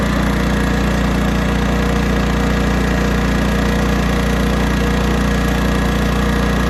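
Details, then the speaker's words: 1980s Honda generator after carburetor mixture screw adjustment between too rich and too lean, running under load: steady, even drone without surging or hunting; normal running under load. "let's try it under load [Music] all right this is still running good under load"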